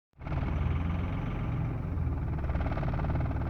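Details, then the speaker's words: 2003 Dodge Cummins diesel truck misfiring, idling with lumpy irregular chug and shaking hard, barely revving at full pedal; injectors tested good, dealer suggests a bad computer. "ever seen a diesel run like that? The truck is actually shaking pretty hard. See, my bumper grill is vibrating."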